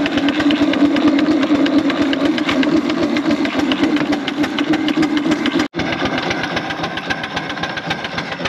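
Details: 4-inch Foster steam traction engine "Dolly", winter steam test after boiler retubing, in big wheel at about 60 lb pressure; strong, even chuffs roughly three to four a second, steady under load; chuff a bit better in big wheel, normal exhaust.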